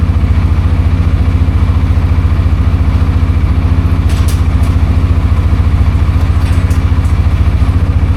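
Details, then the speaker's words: CForce 600 ATV after a no-start traced to a battery issue, now on a battery tender: steady even low thump around three and a half beats a second, no misses, no warning lights, starts as it should; normal idle. "All right. So, we got it running good. Uh, everything seems to be good. Uh, no lights come on. Everything starts like it should."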